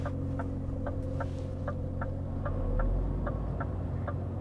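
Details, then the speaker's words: Heard from inside a truck cab: a steady low drone with a faint ticking pulse about three times a second, shaking the steering wheel. This is a refrigeration unit running nearby. "The planter has arrived. Can you hear it buzzing? The steering wheel is shaking"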